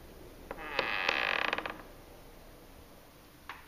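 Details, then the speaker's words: Terrace door hinge that began squeaking about 10 months after first occupancy despite oiling per the care instructions: a sharp rising squeal and creak stuttering for about a second as it opens, then a soft click on closing. "So, jetzt probieren wir das aufmachen. Und man hört jetzt das Quietschen. Und wieder zu."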